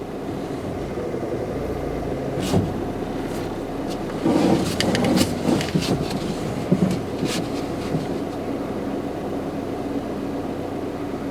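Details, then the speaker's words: Peugeot 206 with starting trouble at idle, a sensor unplugged: idle rises slightly but struggles more, with an uneven stumbling beat and occasional rattles; rough idle, cause still unfound. "when you remove the plug the idle goes higher just a little higher and you should hear is ID don't strugling it's it's struggling a bit more while the idle is uh slightly higher"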